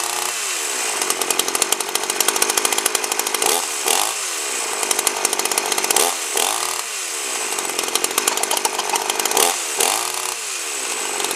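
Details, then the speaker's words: 52cc GIO chainsaw (bar near 20in), first run: screams at high revs with a slightly uneven, burbling edge; runs well but a touch rich on top, wants leaning out. Owner suspects the fuel was mixed rich, probably 25:1 rather than 32:1. "uh runs quite well and that uh it sounds like it uh wants a little bit more at the high end wants to be leaned out a little bit and I think I mixed mixed the gas uh a bit Rich"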